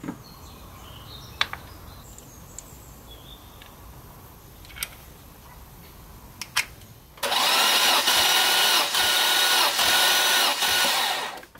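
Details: Maserati 3200 GT during renovation, first start attempt after reassembly: after a quiet stretch comes a sluggish, lazy whirring crank with no firing. The battery is too weak to turn it briskly, so a battery booster is connected next.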